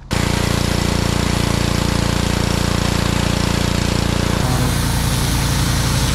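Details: Inboard engine of a neglected, cleaned-up boat idling with a steady, even chug about three beats a second, no misses or knocks; hot water flowing well from the exhaust, no leaks, running cleanly.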